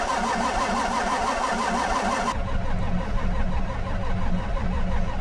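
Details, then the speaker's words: Old diesel skid steer used as a log splitter, cold start, glow plugs checked. It must crank to build oil pressure and then fuel pressure. Slow, steady starter churn with a low, uneven chug and no smoke, never catching: long cranking without starting. "these old they actually have to crank to make fuel pressure and I need oil pressure to make fuel pressure"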